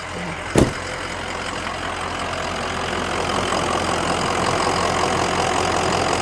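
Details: 2004 Ford Excursion 6.0L Powerstroke diesel, 202k miles, recent EGR valve and oil cooler work, heard from outside in rain: after a door thump, a steady, even idle with outdoor hiss; no knock or miss, healthy.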